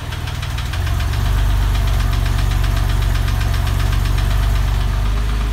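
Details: 996 engine at idle: rapid regular tapping about three a second over a heavy, low idle rumble. Ticking noise, source needs tracing.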